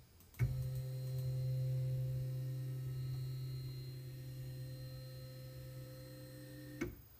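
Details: Carl's aluminum carriage on stock bushings, stepper-driven across the gantry, baseline before a ball-bearing swap: a smooth, even low hum holds steady about six seconds with no rattle or grind, about 67–68 dB; normal travel.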